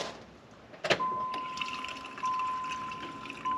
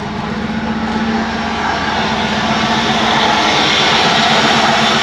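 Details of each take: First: 1994 Pontiac Trans Am GT, sat 17 years, key-on: steady thin electric hum for a couple of seconds as the fuel pump primes; normal fuel pump priming. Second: 1994 Pontiac Trans Am GT revived after 17 years, just after fitting a new injector and held on revs: loud, raspy roar that keeps climbing, possibly fire in the exhaust; oil pressure great, temperature rising to 110; loud exhaust.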